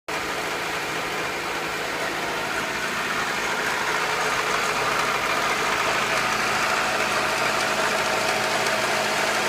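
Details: Acura Integra B18B1 engine at idle, recorded before valve adjustment: quick, fairly even light ticking about three per second over a smooth idle; owner believes it needs a valve adjustment, valve tick suspected, not confirmed.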